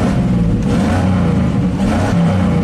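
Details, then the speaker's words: 1987 GMC 1500 plow truck (misfire and stall when warm under load) just after fitting new value-line ignition components: fires instantly and revs cleanly with a steady, even tone, no stumbling or popping. Not yet warmed up. "sounds better already warm it up for a little bit go up and down the driveway a few times"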